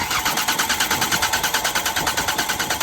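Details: Engine cranking with no start during fuel-supply checks: quick, regular starter pulses, roughly six a second, but it never fires. Suspected blocked pipe or dirt in the tank; afterwards only a dribble of fuel arrived. Cause not confirmed.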